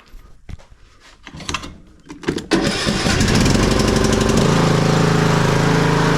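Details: Craftsman T110 riding mower with battery that keeps dying (about 12.45 V before start), charging system under test: clicks and short crank, then the single-cylinder catches and settles into a steady, even putter; starts normally, voltage climbing.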